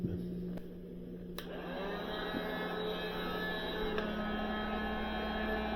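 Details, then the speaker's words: Northland NM13A refrigeration module, R134a, Embraco compressor, after sealed-system rebuild and during recharge: click then low steady hum, only condenser and evaporator fans clearly audible, no knocks or rattles; normal compressor running. "I cannot hear that compressor running it's so so quiet it's one of the things I like about the ambraco compressors they're really really quiet"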